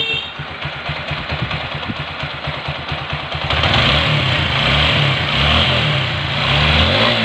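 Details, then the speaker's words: TVS Apache 4V after tappet adjustment to cure a loud top-end noise: even, steady single-cylinder idle with a clean beat and no ticking from the top end; settles after a blip, sounds healthy. "অনেক সুন্দর করে আমরা সাউন্ডটাও মিলেছি এবং কি টুনিংটা accurate আছে।"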